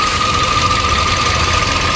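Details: 2013 Toyota Vios Limo after right engine mount and stabilizer link replaced; steady high crying whine over a smooth idle, another noise follows at shutoff; after checking, most likely from the water pump. Whine at idle.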